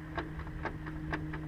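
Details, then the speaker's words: Honda S2000 propeller shaft, car raised with wheels rotated, before replacement; sharp regular clicks about four per second over a low drone, one per turn, heard for a long time; worn shaft joint with sloppy play, needs replacing. "listen you can hear that clicking sound and that's what I've heard that sound for a while since I've had the car I just thought you know the drive chef's just a little bit of play but"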